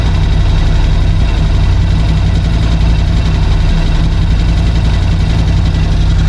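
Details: 2018 Ducati Scrambler 1100 Special before replacing the horizontal cylinder and piston: lumpy V-twin idle with a hollow rhythmic knock from one cylinder, piston slap.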